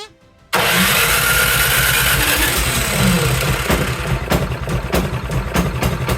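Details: Cub Cadet 524 snowblower that the owner says runs rough and smoky, started in neutral with a high-amp power supply in snowy, cold weather. The engine catches and runs loud and lumpy, breaking into uneven stumbles, running rough with the choke stuck on.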